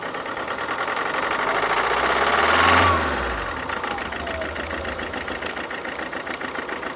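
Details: 2011 Alfa Romeo Giulietta II 1.6 diesel (940A3000, 105 hp), 312,000 km: uneven lumpy idle about four pulses a second, one cylinder without compression; possible valve, piston or head gasket fault.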